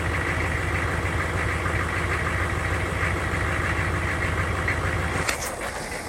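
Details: 6.5 diesel hard start at 70°F: rumbling unevenly with loose, irregular chuffing around three per second before settling; rough, reluctant start.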